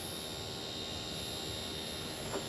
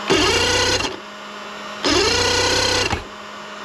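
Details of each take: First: Mercury 2.5L EFI outboard with a hot-soak no-start, VST heated with a heat gun, key on without cranking: a steady thin electric hum under the hiss as the fuel pump primes normally. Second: Mercury 2.5L EFI outboard with a hot-soak no-start (fuel bulb pumped): four one-second cranking bursts where the starter spins but the engine never catches, with an occasional pop. Cause under investigation, electrical suspected.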